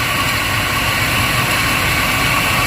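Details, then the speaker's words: 2002 Chevrolet Silverado, Vortec V8 gasoline engine, hot, idling: harsh, gritty rasp over the engine note; grinding noise, owner suspects a bearing, not confirmed. "i think that's uh maybe uh the bearing there"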